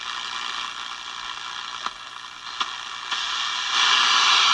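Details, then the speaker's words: Small battery radio, previously dead, after repairing a broken main negative wire at the on-off switch: a steady static hiss with a few clicks, still receiving no station. The soldering iron, now unplugged, had been causing interference; the remaining cause is unclear. "Still not picking up a station there. Obviously it's picking up something, but I got my soldering iron off, so that was causing a lot of problem."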